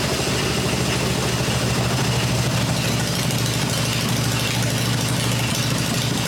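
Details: Freshly built Harley Evo V-twin on a test stand, exhaust pipes covered to hear the engine mechanically, during a one-minute run cycle: steady even low idle thump, no knocks or misses; normal healthy idle.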